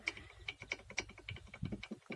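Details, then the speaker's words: Mazda 626 brake caliper guide pin, in good condition but knocking in its worn, enlarged bore: sharp, uneven metallic clicks about four or five a second from the play, the cause of caliper knocking while driving. "Вот видите, она в хорошем состоянии, не побитая, ничего, но вот сюда мы ее вставляем и видим, как она бьет."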